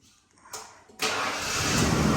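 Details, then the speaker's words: 1995 Ford F150 after a new starter and a new solenoid: a quiet moment and a click, then the engine catches at once and runs steadily, starting normally again. "well there you have it there kiddo your truck runs again Dad nice job it's got a new starter"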